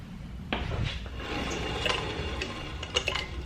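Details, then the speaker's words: Ford Fox-body car off jack stands after about five years stored, wheel turned by hand while checking for seized brakes: light metallic clinking and tapping as it rolls, something loose bouncing inside the lug nut center cap. "oh no that's just something bouncing around behind the lug nut cover center cap"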